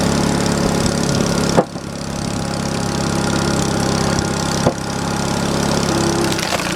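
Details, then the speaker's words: Small single-cylinder wood splitter engine restarted cold with old cold oil after sitting a while: steady even putter with no misses or knocks; running healthy. "still old splitter still runs how about that guys"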